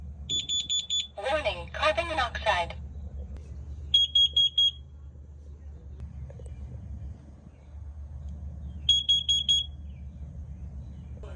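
Shrill groups of four quick beeps alternate with a spoken 'Warning, carbon monoxide': a carbon monoxide alarm working normally on test.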